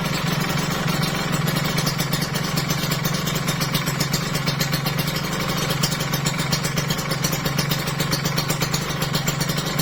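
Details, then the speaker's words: Kawasaki Ninja RR two-stroke after a piston replacement for a worn, whitened bore, revved: even buzzing, very smooth on deceleration, with no knock or clatter; normal running, no piston slap. "Pas turun halus banget halus ini asli halus banget"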